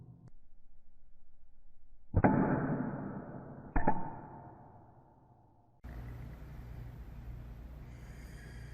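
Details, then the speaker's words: Pulse-Bac vacuum, compared against PulseRam: two pulse bursts, each fading into a long hiss with no crisp snap. The filter-cleaning solenoids are weak and their bodies move as the valves close, so the pulse loses snap. "one of the things I'm noticing about these solenoids is they're weak and when the valves go to close the sewing bodies are also moving so it's losing a lot of the snap that it could be getting"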